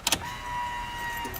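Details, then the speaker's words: Fox-body Ford Mustang after K&N fuel filter replacement, key turned to on to prime: click, then steady high thin pump hum for about a second before cutting off; normal fuel pump prime. "alright so just turn the key to the on position to prime the pump and you'll even be able to hear it [Music] ok so I made pretty high pitch sound"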